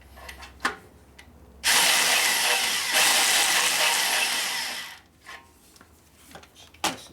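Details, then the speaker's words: 1972 Harley 1000cc Ironhead Sportster rebuild, drill-driven cutter on a seat whose speed can't be varied: harsh rattling grind that begins mid-cut and won't stop once started, leaving chatter marks though the surface ends flat; cutter chatter. "So now it's coming all the way, it's chattering quite a bit. And once it starts to chatter, it doesn't like to quit chattering"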